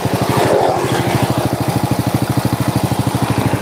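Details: Honda Supra motorcycle with Keihin carburetor and Honda Grand coil, after repair: even idle thump around a dozen beats a second, no knocks or misses; engine runs smoothly and healthy.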